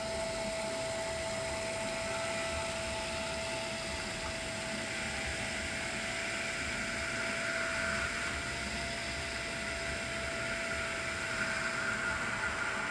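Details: Swiftech Apogee Drive II pump in a water-cooled BitFenix Prodigy home server with an XSPC EX240 radiator, running while filling with coolant: a steady high hum at one pitch under a soft hiss, no rattle. Normal operation, no leaks.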